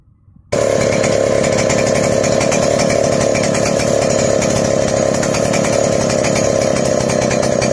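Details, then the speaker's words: Chainsaw before carburetor adjustment: wet, burbling four-stroking note instead of a crisp buzz; rich mixture, too much fuel supplied, fixed by turning the fuel screw back. "Nah, untuk menambahkan bensin, kalian kan bisa dengar sendiri barusan suaranya itu enggak garing ya, seperti ngeberbet begitu, karena pasokan bensin dari sini terlalu banyak ke depan."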